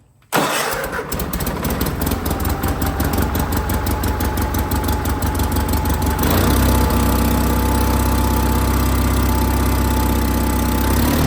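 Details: John Deere 316 tractor engine after reworking the throttle cable, lever at full power: low lazy rumble with no climb; cable sleeve keeps slipping through at the mount; engine not reaching full rpm.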